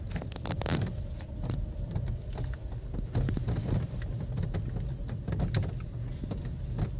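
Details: VW Virtus/Taigun while driving: low road rumble with scattered light taps and rattles coming and going over bumps, from door beading/seals rubbing and rattling in all doors.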